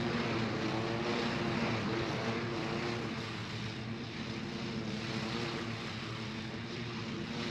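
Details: John Deere L120 lawn tractor, 48-inch deck, after replacing the blown mower deck belt: smooth, even engine hum under mowing load with a steady beat and no slap or squeal from the belt; even cut, normal mowing.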